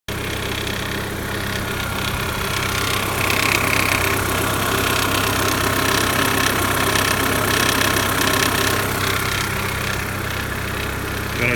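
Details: Audi/VW 1.8T AEB engine at idle: a regular light tick, about three a second, over the engine hum. Hydraulic lifter noise is suspected, though the chain tensioner at the rear is also suspected.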